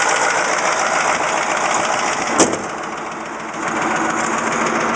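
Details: Caterpillar 3208T diesel in a 613C, fresh injection pump and turbo, once run over-advanced: ragged knock over steady clatter, stopping when #4 fuel line is cracked, partly #2; less when fully warm; suspected fuel/injector knock or piston/ring damage.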